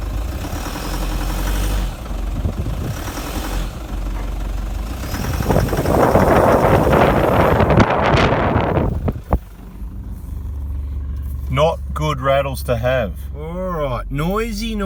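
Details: 2007 Toyota Prado 1KD-FTV diesel, 211,000 km, 13-year-old injectors, coolant 35°C: loud, harsh clattering rattle rising when revved; worn injectors causing heavy diesel knock, replacement due.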